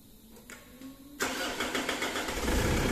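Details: Mitsubishi Pajero 4M41 diesel after valve clearance adjustment and glow plug replacement. A brief starter crank catches after about a second, then settles into a steady, even diesel clatter at idle, sounding healthy.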